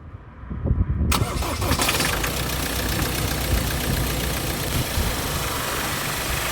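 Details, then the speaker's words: 2014 Ford Transit Mk8 2.2L Euro5 diesel, first start after replacing dead alternator, camera in engine bay: brief crank, catches at once, settles into steady even idle clatter, no misses; voltage rises from 12.2 to 13.6, then 14.1 at idle. "Look at that alternator generate power. I've just sat and watched the voltage rise from 12.2 to 13.6."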